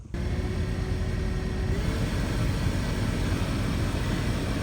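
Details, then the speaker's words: 2010 Chrysler Town & Country minivan after blower motor replacement: heater blower starts and runs with a smooth steady rush of air, previous screeching gone. "yeah. That's a lot less screechy. We'll take it."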